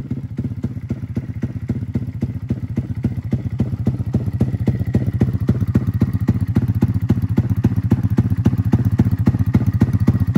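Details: Custom-built 300cc big-bore Honda Grom engine (stroker crank, CNC billet block and cylinder), freshly built, first start-up before dyno tuning: steady low uneven thumping about 220 a minute; rough running, tune not yet sorted, still stalls when cold.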